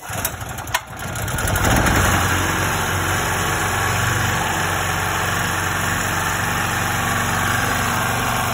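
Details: 2.8 kVA Fireman gasoline generator that refused to start, after setting valve lash clearance: catches after a brief crank, then settles into a steady, even idle with no ticking or knocking; normal start and idle.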